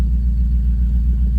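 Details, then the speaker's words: BMW 840ci V8, first start after an accident crushed the driver's door: deep steady idle rumble with even beat, no ticks or knocks, engine sounding lovely. "The engine sounding perfect though. Oh, it's a lovely sound."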